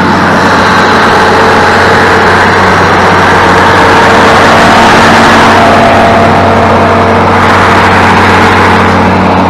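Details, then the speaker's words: International 1586 tractor diesel, sat two to three years, started in neutral after installing batteries: even idle clatter about four beats a second, constant pitch, no hunting or knocks; healthy idle. "my 1586 fired up and and I mean it's been sitting for two or three years now and you heard how quickly and easily it just said boom"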